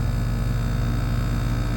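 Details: Outdoor unit of a roughly one-year-old YXV split-system AC, found 10 lbs low on refrigerant from a leak, during pump-down with valves being closed: steady low, even compressor hum without knocking or rattling, running normally before slowing to stop.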